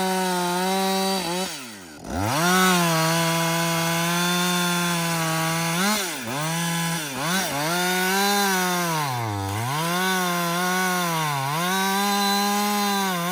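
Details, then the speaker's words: Husqvarna 562XP chainsaw, dealer-reflashed after dying when hot, not starting and stumbling; two-thirds of a tank in. A crisp high-rev scream bogs briefly in each cut and recovers cleanly, pulling well. It runs normally under load. "so far it's running great um I've got I'd say about I don't know two-thirds of a tank gone but"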